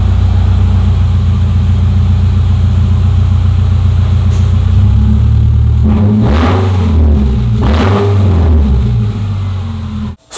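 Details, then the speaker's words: 2009 Subaru Forester: a very loud, raw exhaust roar at idle that swells and crackles on two throttle blips. Exhaust leak from a pipe broken before the muffler. "as cool as that sounded I hope I didn't hurt anybody's ears or blow anybody's earbuds or ear pods uh and I really don't think that the neighbors would appreciate this cuz it is super loud"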